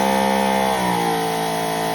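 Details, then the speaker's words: Greenworks Pro 3000 psi electric pressure washer after fix, 15-degree tip: steady motor hum drops in pitch as load comes on, then holds evenly; previously heavy load tripped internal breaker and shut off, now runs fine. "you can hear the motor change, but all good there."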